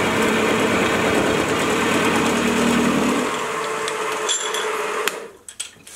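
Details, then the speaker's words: Milling machine after a stiffening plate was fitted to the back of the column, making the same heavy cut (almost 3 mm width, pushing the motor): steady motor drone, smooth cutting hiss, far quieter with less vibration and no chatter, then spindle winds down. "now I'm doing the same Cuts as before and the difference is just astounding the biggest difference is just how much quieter the mill is the vibrations have been cut down and I can push the mule a lot further than I could before"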